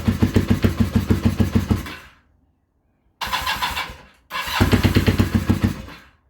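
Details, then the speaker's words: Kawasaki KZ440 project bike, charged battery and new spark plugs: catches and fires unevenly a second or two then dies, three times; starts with choke but won't hold idle, cause unknown. "Alright, so right now it's starting with choke, but not idling. So, we're back at square one."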